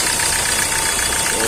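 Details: Hyundai i20 CRDi 1.4 diesel, Delphi injectors, after replacing the injector with excessive return that caused low rail pressure and no-start: even, steady idle with no misfire or injector rattle; normal idle after repair.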